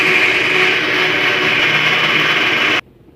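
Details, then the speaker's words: Electrolux LAC 13 washing machine during spin: a loud, harsh scraping that holds steady, then stops with the drum. It comes from underneath the machine; the lower gear rubbing is suspected, not confirmed. "então aqui como a gente pode ver é um barulho bem alto dá para ter ideia que é lá na parte de baixo da máquina geralmente isso aí é a engrenagem da da parte de baixo que tá raspando Entre uma e outra"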